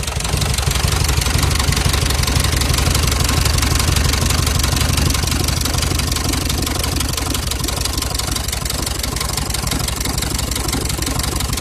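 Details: Cummins diesel: steady rapid knocking, close to three a second, riding over a heavy diesel idle and holding even throughout; internal engine knock of unknown cause.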